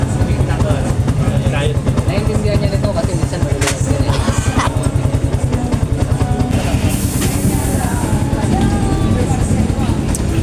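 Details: Yamaha Sniper: steady, even low putter at idle with no clatter from the clutch side; engine sounds healthy and quiet.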